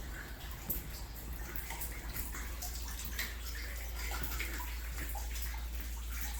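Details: Hot water supply line leaking in an upstairs unit of a commercial building, heard from the unit below: continuous splashing and dripping with gurgles, building slightly, as water pours through the fallen drop ceiling.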